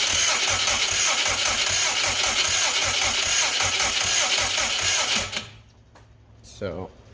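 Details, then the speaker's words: Subaru Brat with WRX engine swap, fuel pump apparently not running, no spark at the plug; owner questions a hole in the cam sensor: fast steady starter whirring for five seconds, no firing at all; cranks, no start, no spark. "you're kind of far away but there's absolutely no spark going on there I don't understand what is happening here"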